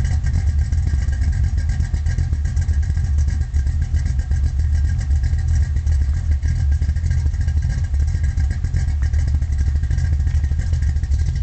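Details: 1972 Chevy Nova small block V8, solid lifter cam, Flowmaster exhaust, Powerglide: deep uneven loping idle with rough exhaust pulse; cause not confirmed; rough idle.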